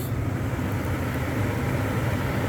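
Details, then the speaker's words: Sunbelt Rentals auction heater just powered off after a hot test run: the blower keeps going with no burner roar, an even low rumbling whoosh. Its label says not to disconnect until the cooldown cycle completes, so this is a normal cooldown fan run. "I don't know I guess the fan doesn't hurt to be running it probably cools down"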